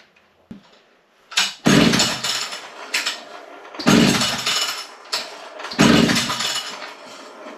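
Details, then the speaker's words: Vintage Italian Alpina 070 two-stroke petrol chainsaw, long sat, fresh fuel, no bar fitted, choke on; fires in three short bursts then dies each time, runs on spray but not off the carb fuel, cause unconfirmed. "So, it gets that far, but it won't run off the carb with the fuel."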